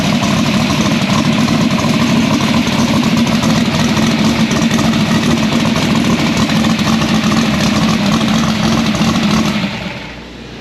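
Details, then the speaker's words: Drag race Nova engine started after transmission reinstall and bellhousing and dump swap: big V8 holds a loud, lumpy but even idle for ten seconds with no knocks or misses, then shuts off cleanly; healthy. "all right so roswell's back in the car spoiled her up sounds good yeah came up nice and quick"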